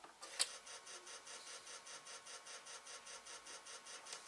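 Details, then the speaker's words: Atari SF354 Atari ST floppy drive after belt replacement: faint, even, high ticking about four per second as the mechanism cycles, but drive B reports not responding. Owner plans to open it up. "It's funny how the other one on the drive actually makes noise too. You know, they both like work at the same time. It's not responding."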